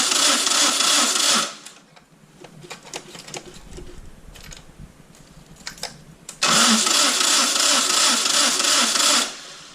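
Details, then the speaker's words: Citroën 2CV (Toro) cranking with no start: two stretches of fast starter whirring that never fire; the engine starts only when the key is released because starter current draw cuts the coil; the owner suspects a carb pilot-jet fault. "You crank the engine and it doesn't fire. As soon as you release the key it starts, which means the spark, the starter is drawing enough current to cut the coil, which is not unusual on 2CVs."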